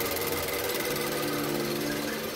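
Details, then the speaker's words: Range Rover Evoque after crankshaft pulley replacement and timing set, engine running: fast even light ticking over smooth running from the high-pressure fuel pump; normal. "This sound is normal. This sound from the fuel pump, because it's a high pressure pump. It sounds a little bit, but this is so normal."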